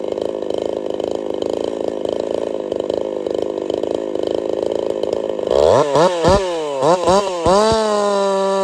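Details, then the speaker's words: Jonsered 2149 chainsaw built for 50cc racing, factory air setup: drones steadily through the cut, throttle blips rise and sag without revving out; bogging under load from carburetor issues. "So I definitely cleaned it up a bit. But we're having carb issues."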